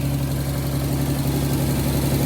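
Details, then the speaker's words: 1990 Nissan 300ZX Z32 after installing new fuel injectors and OEM plenum gasket, first start after priming fuel pump: smooth, even idle settling down with steady low hum, no knocks or misses; running healthy, no leaks found. "Sounds like it's idling down. Sounds pretty good."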